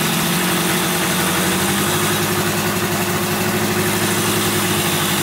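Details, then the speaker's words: 1971 Yamaha CS200 twin two-stroke, sat over 17 years, recently revived: uneven, lumpy idle with ragged pulsing beat; owner suspects misfire, running on one cylinder, one not sparking; later spark found, left cylinder 125 psi compression. "looks like it's only running on one cylinder here."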